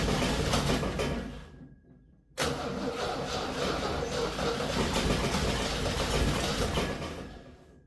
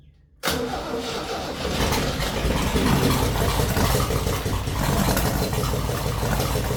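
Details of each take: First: 1966 Jeep CJ5 long sitting, ignition rewired with independent power wire to coil after spark issue, gas poured in: steady starter churning for several seconds with uneven catches, nearly firing then dropping away; cranks, nearly starts. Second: 1966 Jeep CJ5 after a wiring short causing no spark was fixed, with gas poured in and a broken plug wire: a brief crank, then it catches and settles into a rough but steady idle.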